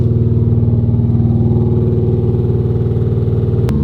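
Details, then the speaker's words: Nissan 350Z Nismo with oil filling a spark plug hole from a leaking valve cover, lumpy idle pulsing about four beats a second, chugging like a tractor; misfiring. "And she is misfiring like a [ __ ] yet again."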